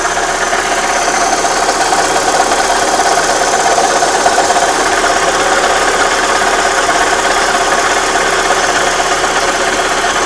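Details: Opel Astra G 1.6 16V at steady idle: busy, clattery upper-end noise with a rough tick about three per second; abnormal engine noise, cause unclear.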